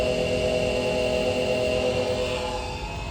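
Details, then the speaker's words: 2015 Chevy Camaro 2SS RS convertible with 51,000 miles: a steady high-pitched hum with a rough airy roar from the HVAC blower motor, a common fault on these cars; the fix is cutting the motor out of the HVAC housing and fitting a new one. "So, one of the real common problems with these cars is the uh blower motor makes a lot of noise. And I think you'll probably be able to hear it"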